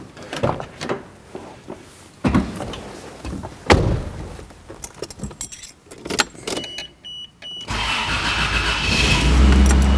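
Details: 1991 Toyota Land Cruiser, previously idling too high with an intake vacuum leak, with a clean throttle body and checks in spec: engine starts and settles into a smooth, even idle with no hunting or surging.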